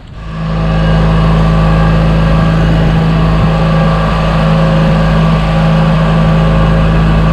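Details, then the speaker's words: Toro 616Z zero-turn mower, first start of the year: needed about five five-second cranks because the pulse fuel pump only feeds while cranking, then catches into a strong, even low drone with no misses, knocks or hunting; runs healthy. "cranked it about five sets of like five seconds you know started right up man"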